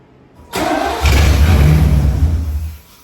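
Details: Tribute Camaro after a new fuel tank, fuel pump and sending unit, started for the first time on its own: brief cranking, then the engine fires, flares and holds a steady low idle. Normal engine start.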